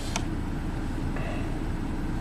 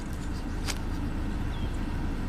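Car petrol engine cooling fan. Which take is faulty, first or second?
first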